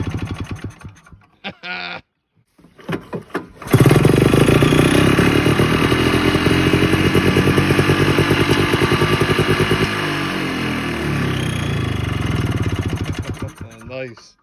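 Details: 1987 Ski-Doo Citation LS Electro 250 two-stroke snowmobile found at dump, makeshift fuel line with primer, gas possibly put into air box; after a few sputtering tries it catches and buzzes at an even, lively idle for ten seconds; normal running.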